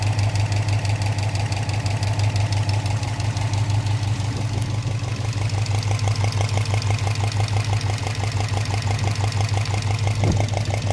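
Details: Subaru Impreza WRX fully warm after an hour running, noise from passenger side, cylinder 1 or 3, driver side milder; regular light knock about three per second over a steady low hum at idle, piston slap suspected, unconfirmed.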